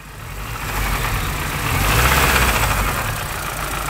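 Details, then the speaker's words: MINI One R50 1.6 engine, after hard acceleration in second gear: loose uneven clatter over rumble while revving; slack timing chain from the hydraulic tensioner, chain said to have jumped; camshaft sensor fault code stored. "vas-y c'est bon allez voilà et au final ça serait la chaîne qui s'est décalé"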